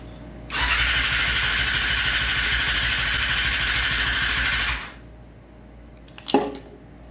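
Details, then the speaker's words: 2003 Yamaha R6 YZF streetfighter cafe racer build: starter spins the engine evenly for about four seconds with no firing; cranks but won't start. No fuel pump noise at key-on, so owner suspects the fuel pump. "See, the problem is there's no kind of fuel pump noise when you turn it on, and I think that's the problem."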